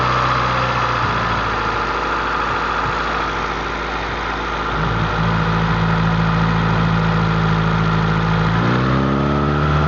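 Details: Honda CRX with a B18A1 block and B1 head, timing belt re-tensioned for the third time: a steady idle with a thin, continuous whine whose pitch shifts with idle; the belt drive is suspected, and the issue was reportedly solved.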